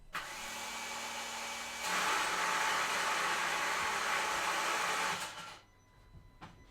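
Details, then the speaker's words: 2014 Nissan Note 1.5 dCi (Renault engine), crank attempt: high, smooth electric whir about four seconds spinning down without turning the engine; starter motor freewheeling, not engaging, failed and needing replacement. "so the starter motor is not engaging indeed the starter motor is kapo"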